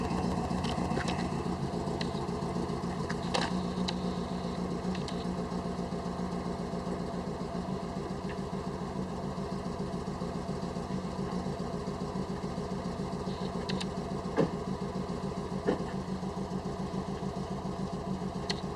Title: Misfiring WRX